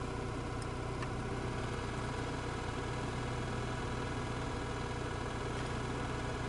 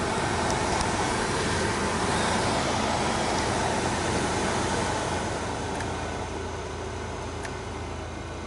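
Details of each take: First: 2002 Opel Vectra C heater blower motor after removal and brush replacement, first speed: steady whir much quieter than the former growl, with a faint rough hum left; new brushes likely not yet bedded to the commutator. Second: 2002 Opel Vectra C heater blower motor after removal and brush service, fan on first speed: steady, even whoosh, much quieter than the earlier growl; a faint residual sound likely from brushes not yet bedded to the commutator; normal running.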